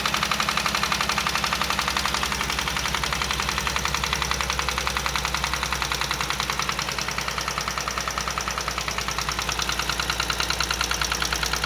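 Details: Chevrolet Onix Plus engine on cold first start in the morning: steady rapid metallic knocking over the cold idle when the brake is applied; source not yet identified.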